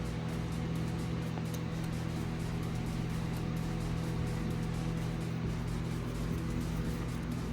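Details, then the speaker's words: 2004 Nissan Titan 5.6L V8, first start after timing chain, oil pump and gasket replacement and fixing a no-spark fault (grounds): low even drone, steady pulsing, no knocks or ticks; smooth healthy idle. "First start up after fixing everything and making sure it sparks and everything."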